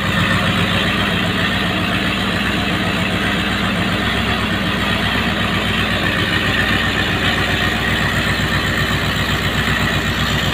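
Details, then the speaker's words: Rebuilt, rebalanced P76 4.4-litre V8 on a test stand, twin Zenith Stromberg CD carbs, Harley mufflers, untuned, warm at operating temperature: steady, even idle with regular beat and no misses, knocks or ticking; runs smoothly. "the vacuum gauge is not connected properly but it's not running too badly here we go like i said it's not it's not being tuned and uh they're the harley mufflers"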